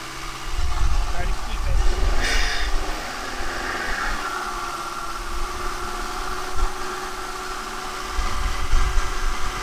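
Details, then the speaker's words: 2006 Audi A3, 183,000 miles, held at 2000 rpm during intake valve carbon cleaning: surges and sags unevenly as cleaner is drawn in, running poorly and stumbling; check engine light may flash; process runs about nine minutes. "now the valve cleaner product doesn't start dispensing immediately but trust me you'll know when it does the engine will start running really poorly"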